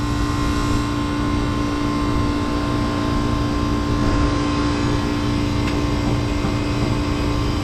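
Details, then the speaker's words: Manitowoc ice machine condensing unit with a steady compressor hum and no fan airflow; the condenser fan isn't running, so pressure builds, suspected faulty fan cycle switch, later found bad when hitting it briefly started the fan. "it doesn't even feel kind of warm I don't think our fan cycle switch is doing the stuff so we need to trace the wiring and figure out"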